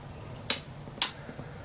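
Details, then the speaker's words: Fosi Audio TP02 subwoofer amplifier, switched off: two sharp crackling snaps as the power adapter is plugged in, sparking at the plug with the adapter light flickering and audible clicking; amplifier later stopped working. "look how the light is flickering on the adapter and this is what i'm saying look at this and listen you can actually hear the clicking sound you can see the light flickering"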